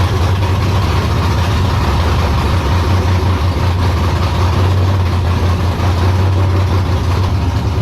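A deep, even idle holds steady with no hunting, surging or misses; the engine is running smooth and stable.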